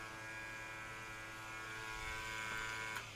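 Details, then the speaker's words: 2016+ BMW R1200RT during brake flush, ABS pump switched on via diagnostic computer to purge air while the brake lever is pumped: quiet steady whirring buzz, no rattles or strain; ABS pump running normally. "When I click this, it's going to turn the ABS pump on. You'll hear it. You'll hear the ABS pump key on"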